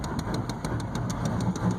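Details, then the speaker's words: 1993 GMC 3500 6.5 turbo diesel, mechanical pump, cold: uneven idle with regular sharp clatter about six times a second and a lumpy, wavering drone, heavy white smoke, needs throttle to stay running; clears somewhat warm; cause undetermined. "Barely runs, idles, rough, smokes like crazy."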